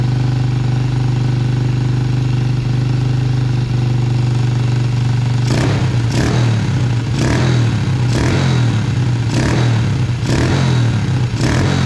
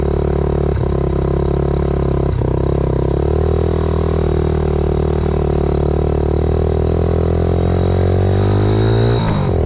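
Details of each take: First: 2000 Yamaha TTR90 single-cylinder dirt bike, first start after carburetor refitted, possibly on reserve fuel: quick steady idle, then a string of throttle blips; idling too high from a sticking choke and misadjusted idle screw, carb suspected dirty, dripping fuel. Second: 2000 Yamaha TTR90 single-cylinder dirt bike after repairs (carburetor refitted, chain lubed), started on one kick, outdoors: even steady low idle thump with no misses or stumbles; runs well, though chain may be slightly too tight.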